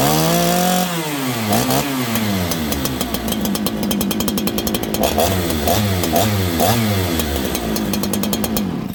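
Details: Farmertec 288 kit chainsaw, builder's own saw, started without choke: crisp two-stroke revving up and down cleanly through several blips with a steady healthy note, bar oiling; runs right, unlike the other lean-running saw.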